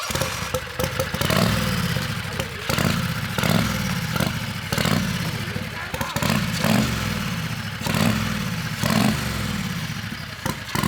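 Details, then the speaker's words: Turbo Predator 670cc V-twin dragster with Polaris RZR CVT, remanufactured starter, on gasoline with carburetor still tuned for methanol (only jet swapped): rough, uneven running kept alive by throttle blips about once per second, bogging between; running very rich, keeps dying. "Okay, so that's So why it's it keeps running dying. it's running really awfully rich on gas right now. Sure. That's why I'm having to blip the throttle and stuff."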